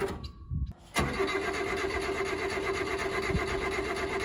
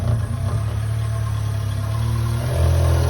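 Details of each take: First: Subaru Sambar kei truck after winter sitting, about a gallon and a half of fuel added: starter churns evenly about four seconds, never catches, then stops. Crank no start from fuel starvation; fuel pump suspected. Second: Subaru Sambar kei truck (carbureted) after winter storage, first start after fuel pump priming restored fuel delivery: small engine settles into a steady, even idle with smooth low hum, no misses or knocks; runs fine.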